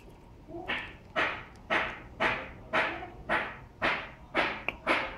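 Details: GNG 48V e-bike motor kit: after riding in rain, a rough scraping swish about twice a second with rotation. Owner suspects a rusted, failing motor bearing and plans to replace the bearings.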